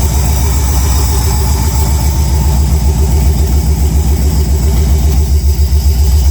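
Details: Chevy Tahoe first start after finishing the wiring: deep, steady V8 burble at a quick, even idle, every beat firm and regular with no knock or tick; dash shows everything good. Healthy running.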